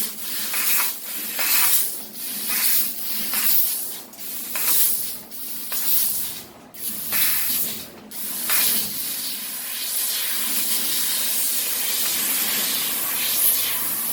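Strong gas hiss swells and drops about once a second as the head darts around, then settles to a steady rush; normal cutting.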